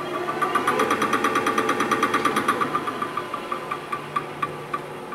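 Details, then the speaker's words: Displacement hydraulic cylinder with no piston, seals only in the head, after being cut open, welded and resealed: sharp metallic knocks, about three a second, slowing as it spins down; something loose internally, owner suspects rod/piston slapping inside. "that is so weird so something internal of the cylinder is making that knock"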